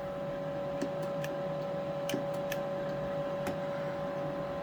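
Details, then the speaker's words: 800+ watt AM/SSB amplifier, lid on, about 40 watts drive, fan running in turbo mode, sideband delay then extended delay selected; sharp scattered relay clicks at irregular gaps over steady noisy fan hum and whine; keying relay working. "Our sideband delay, you can show it. And extended delay."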